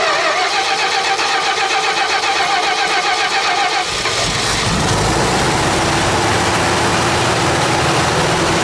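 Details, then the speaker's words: Dodge D100 stepside started after a decade sitting, with Marvel Mystery Oil in the cylinders, fuel tank emptied and a poor-condition carburetor: it cranks, then catches into a lumpy, stumbling idle on about three cylinders. Massive vacuum leak suspected. "all right looks like we're running at least on three cylinders or so that's good"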